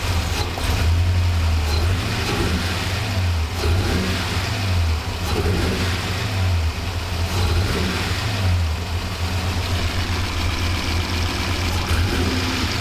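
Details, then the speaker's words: 1985 Monte Carlo SS with a cammed 6.0 LS2 swap, sitting 5 years, fuel system rebuilt. Deep V8 rumble through repeated revs, a bit lumpy and uneven; owner suspected some injectors weren't firing, and stuck injectors were causing the misfire. "I suspect some injectors aren't firing."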